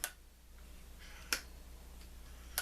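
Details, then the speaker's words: M14/M1A rifle gas system, tilted to test the piston. Three crisp metallic clicks as the piston slides end to end freely, showing it is clean enough to run reliably on semi-automatic. "hear that tank that's the Piston sliding back and forth as long as you hear that it's clean enough it'll it'll it'll right on semi-automatic no problem at all"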